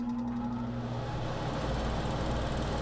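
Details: Furnace blower motor with failed run capacitor: after a hum and no airflow, the motor is spun by hand and then runs evenly with a steady low hum and faint electrical buzz, confirming the run capacitor has gone bad.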